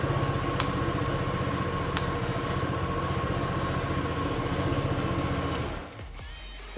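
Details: Honda PCX125 single-cylinder scooter, 5,670 miles, startup: quick, even putter under background music, then shuts off cleanly; normal idle.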